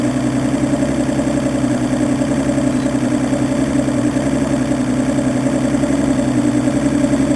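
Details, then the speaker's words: Evinrude E200FP outboard that only starts with fuel poured into the cylinders (EMM, capacitor, stator, plugs and starter already replaced; has fuel and spark): steady, even idle with a smooth throb of about 3.5 pulses per second; running normally on primed fuel. "Only with a bit of fuel, and it works perfect."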